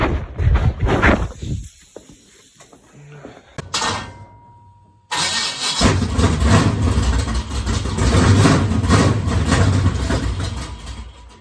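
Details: Dirt race car after fitting a tighter double throttle spring to stop a sticking throttle: after handling noise the engine catches and settles into a loud, choppy race-engine idle that drops back down cleanly; normal start and idle.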